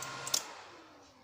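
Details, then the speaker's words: Power amplifier after double capacitors were added at the input and the power switch: at switch-off only a faint click and a fading hiss, with no thump from the speaker; the switch-off thump is cured. "tidak ada suara jeduknya. Berarti karakter suatu power ini cuma dikasih itu saja sudah hilang."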